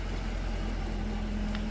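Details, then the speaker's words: 2022 Dodge Durango R/T idling after a DIY swap replacing a blown engine: steady low idle with an even hum, no tick or knock; a tick on early starts went away by about the third start, thought to be oil pressure building. "Sounds good and smooth. There was a tick. That tick went away after probably the third time I started"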